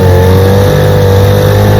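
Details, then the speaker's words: Restored 1947 Johnson HD-25 2.5 hp outboard on lake test after carb intake manifold replacement: strong, even two-stroke drone at steady speed, no stumbles or misfires, pushing a john boat about 3 mph; normal running. "2.5 horsepower. Putting along good. Right up."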